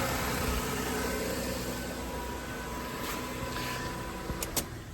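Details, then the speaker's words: 2007 Toyota Solara 3.3 V6 (3MZ-FE) idling after spark plug and PCV valve replacement with the intake manifold refitted. Steady, even hum with a low smooth rumble, no knocks or misses; normal idle. "well moment of we'll start it up and see how she runs she sounds good she sounds like she's supposed to"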